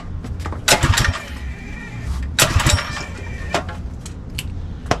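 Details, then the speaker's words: Predator 212 Mega Moto minibike engine just after installing CDI Performance ignition kit on a 12 V Milwaukee M12 battery: several sharp recoil pulls, each a brief rasping whirr with no firing; cranks but won't start. "Didn't go so well. Let's try to figure out why. Why doesn't it work?"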